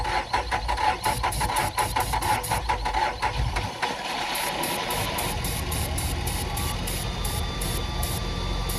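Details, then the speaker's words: Nissan Altima 2.5, crank no start, check engine light on, fuel level/FTT sensor circuit codes: cranks about four seconds, runs only on starting fluid sprayed in intake; fuel delivery fault, possible bad fuel pump (wrong pump fitted, 5 vs 6 pins). "All right, so we determined that it's going to be a fuel issue. Possible bad fuel pump"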